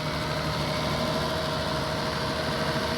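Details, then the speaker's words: Toyota Camry with engine swapped from an Avalon, first start after the swap: steady, even idle with smooth hum and faint steady whine, no knocks or stumbles; running healthy. "That's right. That's right. Yeah, boy. She sounds nice."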